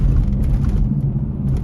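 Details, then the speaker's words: Truck with new calipers, new rotors and a wheel bearing replaced last month, still making a noise while driving: a steady low droning rumble. Owner suspects the tyres and plans wheel balancing. Tyre road noise. "Yeah, it it looks like the tire the rubber when you when you're driving and you're the tire is spinning, you know, the rotation vibrations, something like that, you could hear."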